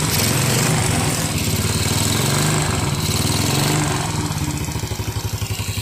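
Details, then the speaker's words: Yamaha Jupiter Z revived after years dead following ignition, fuel, engine and air checks and new oil; small single at a steady, even idle with a quick regular thump, no knocks or misses, exhaust still slightly smoky; running normally again. "ya, motor ini sudah hidup lagi."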